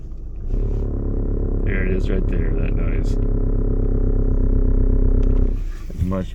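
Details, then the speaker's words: 2013 VW Sportwagen TDI, manual; low throbbing groan about four pulses a second from the left/driver's side engine compartment, rising as the clutch engages in first gear, louder when revved; source not pinned down: groan on clutch engagement. "Okay, the car's making some strange noises somewhere around the engine compartment on the left, or the driver's side. See if I can make it do it. And it usually is happening when I'm engaging the clutch and I'm coming out."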